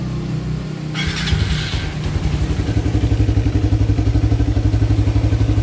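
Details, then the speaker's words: Motorcycle with Aracer Mini X ECU, Cita Power TCI and Power Up, set from phone: engine catches after brief crank and settles to an even idle about four beats a second; raising the ECU idle RPM setting raises idle without touching ISC or manual idle. "jadi ini pengaruh di RPM idle Padahal kita tidak menyetel idle manualnya atau tidak menyetel isc-nya"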